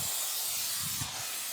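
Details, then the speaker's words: Air compressor, motor stopped: constant sharp hiss of air escaping from the tank drain valve underneath, which is damaged or missing a piece. "Okay so I know what the problem is that looks like it works great the valve underneath I think it's meant it's either missing's a piece"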